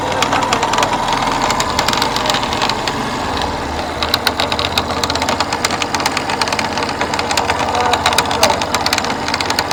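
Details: FZS V2 single-cylinder at idle: sharp, fast ticking knocks ride over the idle steadily throughout; an internal engine knocking noise, source not yet pinned down.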